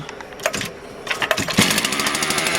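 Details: Motor Sich 270 chainsaw after ignition coil replacement: a few pulls and coughs, then it catches and settles into a fast, even buzz with a steady beat; cold saw starting to warm, running healthy.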